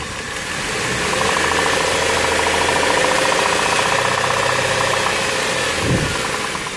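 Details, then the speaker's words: 2000 Dodge Intrepid petrol engine idling with a steady knock, about four raps a second, recorded before planned repair work. "infamous engine knock so looks like i got my work cut out for me"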